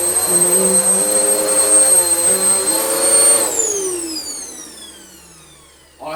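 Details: Vax Power U84-M1-BE upright vacuum cleaner after motor repair: a smooth, even high whine with no rattle or wobble, then the pitch slides cleanly down as it spins to a stop; the motor runs normally again.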